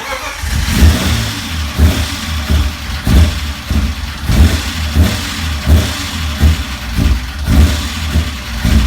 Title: 1995 BMW M3 start up with rough idle part 2